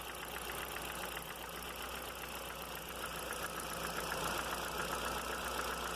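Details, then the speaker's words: Audi A3 engine at steady idle: light, fairly even tick from the top of the engine, about three or four a second; owner suspects a hydraulic lifter not pumping up, rules out valve and bottom end, plans oil pump pressure test. "Pra mim esse barulho é o tucho que não tá carregando direito."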